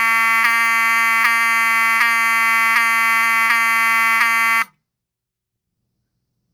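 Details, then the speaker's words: Wheelock 7002T-24 horn with HALON lens, bench test: harsh, steady buzzing pulsing about every three-quarters of a second, then cut off. It sounds like any other 7002T; normal horn operation. "you can see, it sounds like any other 7002T."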